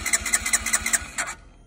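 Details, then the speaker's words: Honda CB125R being rebuilt, spark just restored, fresh petrol poured into airbox: starter turns engine over in even pulses about five a second without firing; compression test reads about 100, owner suspects it should be higher. "so i need to google what pressure it should be but i think it should be higher than that"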